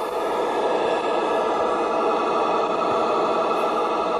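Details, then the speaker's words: LM7812 12 V fan regulator circuit with no capacitance on the bus, mic held to radio speaker: constant buzzy whine with stacked tones as the oscillating regulator and fan motor interfere with the radio through the coax. "you're basically hearing the fan the fan's motor is uh causing interference with the radio through the coax"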